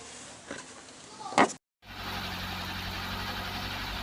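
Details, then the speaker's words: Ford Cortina Mk3 Estate after carburetor work with new throttle/pump membrane: after handling noise, engine settles into a steady, smooth idle with an even hum, no stumbles or knocks; running smoothly. "well i've been here since he's running smoothly look at that sounds really good as well"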